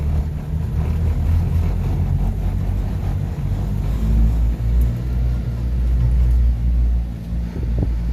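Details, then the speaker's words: Subaru Sambar KS3/KS4 mini truck after carburetor repair for bogging and not running past idle, four-wheel drive: pulls cleanly in first gear with even deep drone, no stumbling or bogging; running healthy. "we're going into first earlier was not let me go into first ah oh it's running good"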